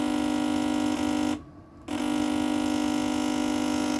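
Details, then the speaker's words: Integra MLX light source fault: loud steady electric motor buzz when changing intensity; the unit doesn't come on when pressed and starts full on instead of off. "it didn't come on making loud noise the motor buzzing and the changing the intensity"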